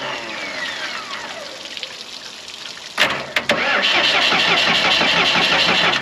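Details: Morbark 2400XL track chipper's 4BT diesel, bought at auction sight unseen, cranked with battery jumped to ignition: the starter spins evenly, about three turns a second, and it never catches; no fuel at a cracked injector line.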